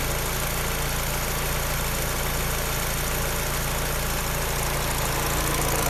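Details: Peugeot 308 engine running at idle: a light, fast, regular clacking, roughly three or four a second, rides over the idle; an unexplained foreign clacking noise from the engine.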